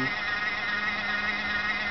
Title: Xbox 360 slim PSU making noise (fan)